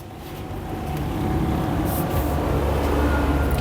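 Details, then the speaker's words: Indesit washing machine with F11 error, drain pump tested during a 10-minute direct spin cycle with door locked: low, steady motor hum rises and settles into an even drone, no grinding or rattling; pump working. "We can hear the noise. This pump is working."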